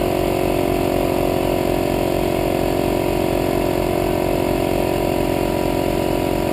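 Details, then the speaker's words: Harbor Freight 150 psi 1.5 hp 6 gal oilless compressor (about 1200 W) run on a generator at its capacity limit, 1:45 in at 75 psi: steady heavy pulsing about 3.5 beats a second under a strained drone; generator laboring, breaker not yet tripped. "you can hear the compressors really drawing the power on the generator so it hasn't kicked the breaker yet though"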